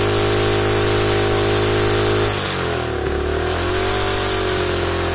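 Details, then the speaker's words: Rusted Predator small engine run with no head gasket, after running a while: runs steadily, then stumbles with a sharp pop and dip in speed; combustion leaking and blowing out the side of the head, with backfiring. "yeah it's definitely starting to leak right there blowing out the side of the head right there"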